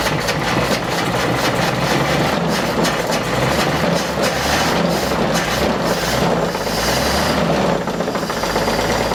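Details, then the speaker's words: 1948-50 Chevrolet six-cylinder truck abandoned for decades, first start: steady, rough but even idle with no knock coming through; a rod-knock-like noise was suspected beforehand. "it ran hey it ran it did run yes I'll give it that and it didn't sound it didn't sound bad except for that noise"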